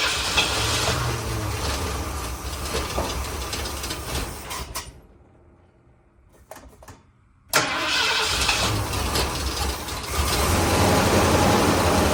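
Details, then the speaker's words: 1979 Ford F250, sat possibly 6 to 23 years, freshly rebuilt carburetor: cranks, catches, runs rough a few seconds, cuts out, fires again; not pulling fuel, owner suspects bad mechanical fuel pump. "Runs. We're not pulling any fuel. Mechanical fuel pump might be bad."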